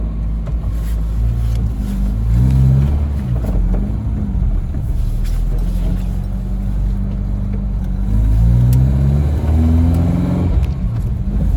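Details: Ford Capri 2.0 after inlet manifold refit, now running: low rumble with an uneven, lumpy beat and wavering revs; still runs a little rough, owner suspects the ignition side.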